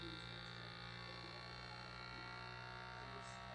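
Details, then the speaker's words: Vacuum food sealer pump running normally during a sealing cycle: a steady, quiet electric buzz with an even hum and no dips or knocks, then a click as the indicator light turns red to show sealing is done. "and it's pulling all the air out did you hear that clicking noise and now it's red and it's letting you know it's done"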